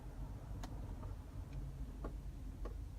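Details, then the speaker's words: GMC Envoy front passenger-side wheel bearing, with no play when rocked: a steady low rumble with a few stray clicks, a growl heard only when weight leans toward the passenger side. Bad wheel bearing. "know if you guys can hear that but it's it's a really loud growl that's an indication at your front front passenger's side wheel bearing is bad"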